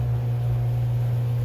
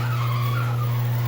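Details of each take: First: Genie 8600 screw-drive garage door opener running after lubrication and a motor start capacitor replacement. Steady, even low motor hum through the whole run with no grinding or loud squeal, much quieter than before, with only a slight leftover squeak. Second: Genie 8600 screw drive garage door opener after motor starting capacitor replacement, before lubrication: loud steady low hum with a harsh wavering squeal: dry unlubricated screw drive, quieted by lubricating.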